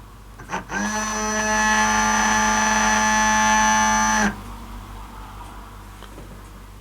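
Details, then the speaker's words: Micro ROV 12 V brushless water-pump-motor thruster on a test connection at the end of the umbilical control wiring; spins up within a second to a clean steady hum, holds about three seconds, cuts off; normal motor running. "we hear the thruster fire up, showing we've got power at this end of the umbilical,"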